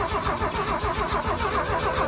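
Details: Abandoned 1979 Ford F250, weak leftover battery, cranking with fuel solenoid not yet in gasoline mode: even rapid cranking rhythm, no cylinders catching or speed rising; turns over but won't start, no fuel delivery.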